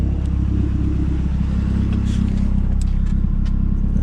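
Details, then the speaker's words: Fully built 2010 Mazdaspeed 3 drag car, first start of the season, new Odyssey battery and fresh oil, at operating temperature with good oil pressure: steady, even low idle with a smooth exhaust pulse and no knocks or ticks. Normal warm idle. "we're just checking over everything make sure it's good just basking in the awesomeness everything sounds good"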